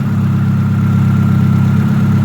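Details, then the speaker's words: Supercharged Hyundai Tiburon, cold idle: thin constant high whine over engine hum, some supercharger sound behind; owner first blamed power steering, then says the timing belt is a little too tight. "At first, that little bit of a noise was the power steering, but timing belt's a little too tight."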